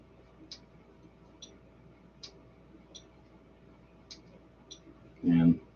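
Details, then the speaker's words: Relay for a Stryker 955 driven by a prototype BS270 MOSFET switching circuit, switched by touching a finger: faint crisp clicks about once a second as the relay pulls in and drops out cleanly; normal switching. "relay the way i've got set up just so that you can you may or may not hear the clicking whenever i do that"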